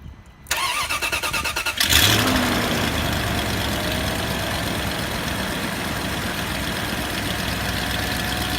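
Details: 2004 Range Rover HSE, BMW M62TU 4.4 V8, after a full timing chain job, Beisan vanos seal kit and GAS timing kit, codes P0011/P0012: cranks about 1.5 s, catches, then a faint uneven lope. Rough idle.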